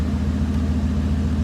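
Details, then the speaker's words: Dodge Durango that sat two years and ran poorly when parked; owners suspect really bad fuel: low steady idle with a slightly uneven, lumpy pulse; known idle problem, rough idle, cause unconfirmed. "i still can't believe it but it made it over here it's rough fire it fired right up it fired right i can't it's amazing guys"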